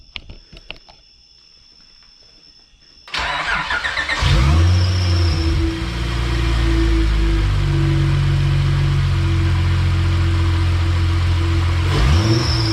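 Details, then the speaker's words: Acura TL with Comptech supercharger just reinstalled, first start-up: engine catches after a few cranks, then a steady high belt squeal over idle; owner suspects fluid on the belt. "All right, sounds pretty good other than the belt squealing, probably cuz there's fluid on it."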